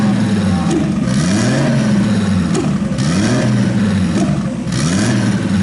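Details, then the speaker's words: RB26-swapped Subaru WRX on Haltech ECU after fuel adjustment brought down to 12, fans on while warming: smooth clean revs rising and falling, no misfires heard; normal revving. "We don't hear any misfires anymore. So let's get some temperature on this and see what happens. We have the fans on and it's cooling down, which is good. The engine is revving good."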